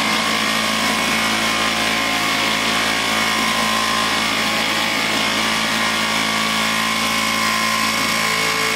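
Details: Vintage Flymo hover mower after reassembly, carburetor believed out of adjustment, kill wire not working: steady buzzy two-stroke drone held at a low, flat speed without picking up; low idle speed.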